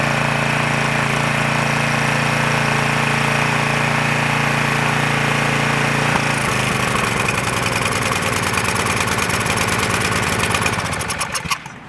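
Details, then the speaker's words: Craftsman 2500 PSI pressure washer, Briggs & Stratton 6.75 engine (model 168212), in for no-start, after reassembly: holds a steady, even run, note changing with choke, running cleanly even on choke. Normal running. "It even runs on choke good too."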